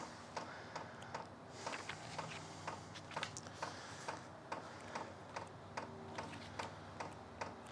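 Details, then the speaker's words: Sunster 5 kW all-in-one diesel air heater at first start: steady light fuel pump ticks about two and a half per second in a quiet room while priming; normal pump ticking. "I don't if you hear that but there's the pump sound first time pring"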